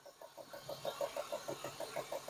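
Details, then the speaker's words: BMW E36 idling after its fuel injectors were rebuilt (all about 16 ohms): quiet, even idle with a quick regular tick about six times a second, which the owner calls normal for these cars; smooth and healthy. "they just these cars just make they just make that noise it's annoying but it's running very smooth very"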